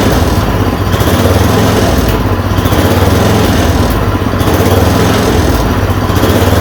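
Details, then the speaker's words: Yard Machine 826 snowblower (8 hp, 26 in cut), just fitted with a dual belt: a steady, busy low drone with a slight rise and fall about every second after the idle screw was adjusted. The engine runs normally. "you have she's a runner had to mess with that screw that I told you I don't usually touch until I get him running it's just an idle screw so you heard the idles it reved up we're good"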